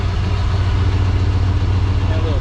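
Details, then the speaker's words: 1994 Chevrolet K1500 Blazer, first start in 18 years after a new gas tank and fuel pump: it fires off the key into a steady, even low rumble with no misses, knocks or ticking. Not smoking beyond a small puff; normal idle. "Fires off the key. Bless its heart. Look at that. Check that out. Not even smoking."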